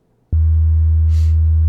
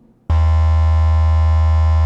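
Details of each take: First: Steady low 80 Hz test tone from a sound-deadened car door speaker in a custom speaker pod plays cleanly, with no buzz or rattle, unlike the non-deadened door that rattles heavily at 80 Hz. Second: Speaker test tone at 80 Hz in a door without sound deadening, with custom speaker pods: steady low tone with a harsh buzzing edge as the door panel rattles and vibrates; deadening removes the buzz.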